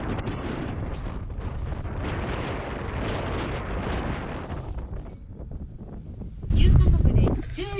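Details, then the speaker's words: Driving on the road after removing the brake silent guard shims on new brake pads: steady low road and tyre rumble, no squeal or scraping, much quieter than before. "so now i'm driving the car and checking if there's any noise as you can see there's not much noise that was unlike before"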